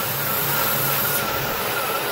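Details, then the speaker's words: 2002 Ford F150 XLT 4x4 Extended Cab with P0171/P0174 lean codes: thin steady whistle over a smooth, hissy idle, no knocking; vacuum leak suspected at the hoses, whistle at idle. "all right if you hear the whistle in air can visit that hose if I'm at they're talking they're louder hold on"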